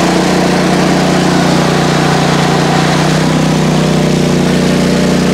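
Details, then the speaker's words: PowerSmart 4400 W generator MB5040B on 30 A outlet with two space heaters and 500 W blower, about 25 A/3,000 W against 3,600 W rating: loud steady drone with deep hum, laboring hard near full load. "so if my kilowatt was accurate before this is running at 25 amps 3,000 Watts it's rated for 3600"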